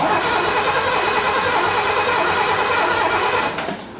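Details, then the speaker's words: 1969 Mercedes donor car with a coil from another car fitted: the engine cranks at an even, steady rate for several seconds without firing, then stops. It cranks but will not start, and a loose connection is suspected as the reason for no spark. "Oh well, this could probably be one of the reasons why it's not showing up as any spark."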